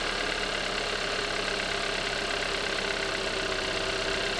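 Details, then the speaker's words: Hyundai Avante AD with GDI direct-injection engine at about 123,000 km, just started: even, constant, quiet idle with a fine steady injector tick and no irregular tapping; normal healthy engine. "이 차는 키로수가 12만 3천 정도를 탔음에도 불구하고 엔진의 소리가 일정하고 조용하거든요."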